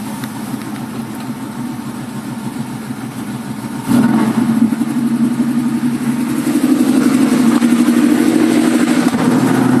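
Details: 1965 Ford Mustang with 2150 carburetor; engine catches after about four seconds, then idles with an uneven, lumpy beat and wavering speed, rough idle with cause not yet pinned down.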